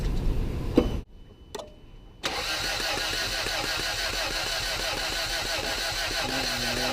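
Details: 1989 Toyota Tercel at about 7°C: starter turns the engine over steadily, about two beats a second, but it never catches. Plugs are carbon-fouled with oversized gaps; compression is low (80, 50, 75 psi). Cranks, no start.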